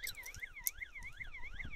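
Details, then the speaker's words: Relatively new Mongoose M60 battery-backup car alarm siren sounding after being unplugged; a thin, quiet rising and falling electronic wail about one sweep every 0.4 seconds; weak siren output. "Stand over here, and my God, I can barely hear it over the noise of the cicadas."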